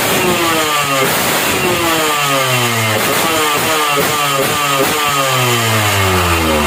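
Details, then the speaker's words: Standard motorcycle on lean ("dry") carburetor air-screw setting: quick throttle blips climb and fall back cleanly, revving very light and crisp with no bogging. "Jadi kalau setelan kering itu Ringan banget suara mesinnya ya"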